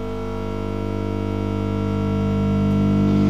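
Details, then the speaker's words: Homemade regenerative tube radio powered on at about 30 volts, filaments warming: steady buzz with stacked even tones swells as the set warms up while a station starts coming in; hum pickup, source unconfirmed. "okay all we're getting this buz but there's a radio station coming"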